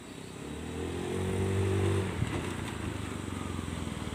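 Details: Carbureted Honda Scoopy scooter after a full service for sluggish, heavy, sputtering pull, full throttle from standstill: pitch climbs smoothly for about two seconds, then eases to a steady putter; pulls cleanly, normal acceleration.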